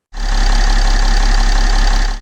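A diesel car idles with an even, steady clatter and no stumbling or uneven speed.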